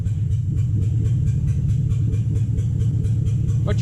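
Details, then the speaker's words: 2007 Toyota Hilux 4x4 with swapped 3UZ V8, first runs after swap: deep rumble with uneven, lumpy pulse, one side seemingly not firing; misfire, suspected lost coil on one side, later fixed with right-hand side running properly. "i think we've lost a coil on one side"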